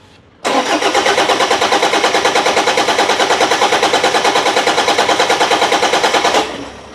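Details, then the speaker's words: Toyota Vigo with 1KD diesel, towed in, cranks but won't start: even cranking about three compressions a second for six seconds, never catches. Timing belt was intact and a new part didn't help, so the injection pump is blamed; pump to be removed and repaired. "ไม่ติดนะครับก็แสดงว่าคันนี้เป็นที่ปั๊มนะครับ"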